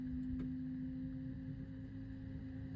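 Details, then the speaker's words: Farm machine that stalled and won't restart: steady pure whine of the electric fuel pump running with ignition on but no fuel delivered; filters thought unlikely, owner suspects failed fuel pump; fuel pump whining with no fuel delivery. "fuel pump still you can hear it whining getting going like normal no if it was filters you'd think it would try and start then con out again so I don't think it's filters no there's no fuel there at all pump but it still whes do you hear"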